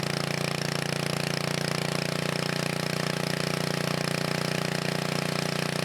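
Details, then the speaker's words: 1980 Montgomery Wards 2200 W generator, Briggs & Stratton 5HP, after NOS block swap and carb rebuild, no smoke; steady even single-cylinder drone holding speed without hunting, governor keeping it settled: running healthy. "well guys I'm happy whether it seems to be working pretty good"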